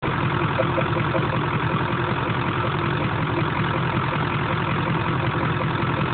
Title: Weird noise coming from air filter #2